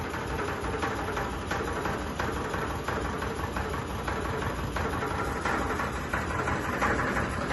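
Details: Sony ceiling fan, 2022 model, at full speed: loose thump about three times a second over a rattling drone as the fan wobbles and vibrates badly. Ceiling fan wobble and vibration.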